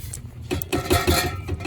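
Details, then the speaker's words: Acura RSX Type-S after a new exhaust hanger was installed: loose metallic clinks and clatters when the pipe is shaken by hand, still rattling. Exhaust rattle. "Alright, y'all, so I put in the hanger, but when you shake it, it's still making that noise."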